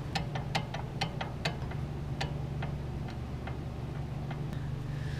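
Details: BMW E46 325xi wagon, close look at the CV axle: sharp irregular ticks, roughly three a second, fading over a low hum as the wheel slows. The CV joint is worn and clicking.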